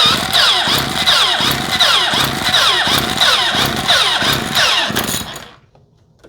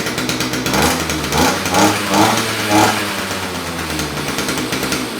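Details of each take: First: 2-stroke string trimmer with battery-only electric start, primed and choked, that reportedly won't start: two spells of rapid cranking with brief sputters that never catch before it shuts itself off; no-start later traced to fuel delivery. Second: Non-starting 2-stroke electric-start string trimmer after carburetor cleaning, primed and on choke, cutter head off: buzzes and surges unevenly but keeps running; fixed, starts and runs.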